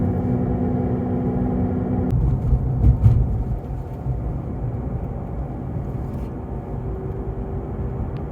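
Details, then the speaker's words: Tesla Model 3 on Nokian Hakkapeliitta R3 winter tires, heard in-cabin at cruise: steady low droning growl under road rumble, loud straight or turning right, easing when steering left; points to a worn front wheel bearing. "And all right, so these are the Hakkapeliitta R3s winter tires, and I'm going to stop talking for a second so you can hear the background noise it generates in the car."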